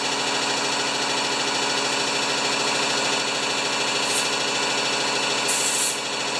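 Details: Powermore (Yard Machines) lawnmower, brought in for starting then stalling: small single-cylinder engine idles at a steady, even buzz with no hunting or sputter; normal clean idle.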